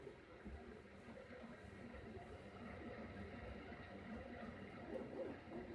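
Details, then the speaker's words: Rotor with rebalanced drum cylinders, freewheeling in a vibration test: an even whirring spin with a soft pulse near 97 per minute and no knocking or rubbing. It runs smoothly and balanced. "pretty bad this one doesn't still going it's freewheeling right now"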